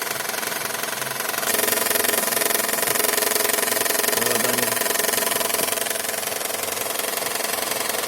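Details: Toyota Estima idling with fast even light knock three or four times a second, diesel-like, from the intake manifold; intake manifold swirl flap rattle.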